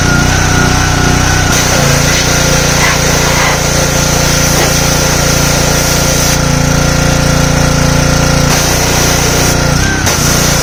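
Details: Simpson 3000 PSI pressure washer, Honda GCV engine, long stored outdoors: engine over pump noise, speed drifting up and down, hunting; owner suspects clogged carburetor needing overhaul.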